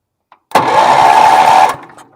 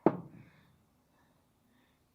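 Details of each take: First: Bargain Wheel Horse 308-8 garden tractor, rusty ignition, in neutral, being jump-started: about a second of strong, even starter whirr at a steady pitch, turning over freely without dragging or clicking. Normal cranking. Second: Bargain Wheel Horse 308-8 garden tractor, kill wire unplugged and sprayed with starting fluid: four short bursts where it catches and roars for a second or two, then fades each time. Fuel starvation; runs only on starting fluid.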